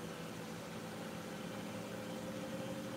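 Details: Miele washing machine spinning up: quiet, steady hum at constant speed, shock absorbers audible, not whiny, no thumping or banging, shaking only a little; smooth, normal spin.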